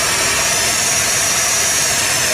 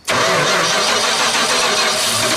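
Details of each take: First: 1978 Dodge D100 after sitting almost 20 years, after distributor adjustment: steady, even idle with smooth hiss-heavy tone, no misses or stumbles; running and idling well, vacuum leaks suspected. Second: 1978 Dodge D100 that sat almost 20 years, out of gear with spark confirmed and fuel poured in: steady fast cranking at about 3.5 turns a second with ragged near-catches that never take, so it cranks but will not start.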